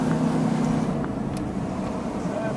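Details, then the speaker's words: Chevy Suburban on a test drive after a U-joint replacement: steady, even road hum with a low drone and no clunks, knocking or vibration beat; the driveline sounds smooth and quiet. "guess it's not making noise no more no i don't hear it no more no vibration no more thinking noises it sounds good"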